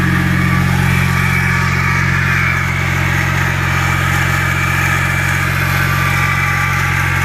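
Steady idle with a low drone and a busy, rapid mechanical chatter layered on top, roughly three beats a second; source unclear.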